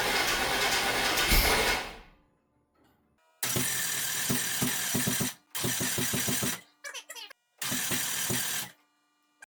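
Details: Long-stored GMT400 OBS Chevy truck, after draining old fuel, cranked on a battery tender with starting fluid sprayed; long bursts of fast, uneven cranking without catching; suspected not firing on all cylinders, plugs, cap and rotor due.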